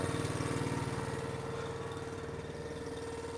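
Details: Eastonmade Ultra wood splitter's small single-cylinder engine, warmed up, after repair of a control handle that jammed in cold weather and an oil change: steady, even idle with no knocks or misses, a normal healthy idle.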